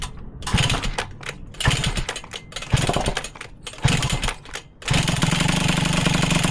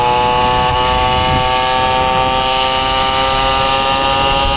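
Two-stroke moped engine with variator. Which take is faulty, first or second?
first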